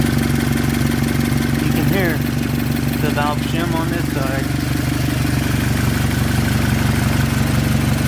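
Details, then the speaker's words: Subaru BRZ FA20 engine idling before being pulled for a build: steady idle with a light, regular tick about three per second, pointing to the valve train; knock unknown, not confirmed. "side there's a little bit over here but not as bad as the one over here on the back side it is unknown if it knocks we will tear it apart now"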